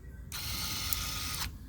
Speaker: so that's basically what you want right there listen for the click if it's clicking on and off then you're good to